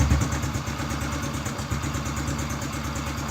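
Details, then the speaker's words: Honda Biz C100 single on first start after a full engine rebuild, with carburetor refitted and pickup gap set near 0.30: idle set very low, quick even popping with no knock or rattle, normal idle. "Aparentemente no hay ruido que vamos acelerar un poquito est quedó muy baja"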